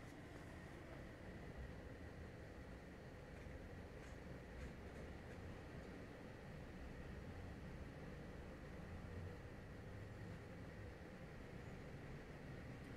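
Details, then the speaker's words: LG portable air conditioner, measured from about 3 m, fan on F1 speed reaching about 46 dB versus 38–40 dB off: smooth, even airy rush, no knocks or rattles; normal fan operation. "com ventilador ligado no F1 ele chegou aí há mais ou menos 46 né"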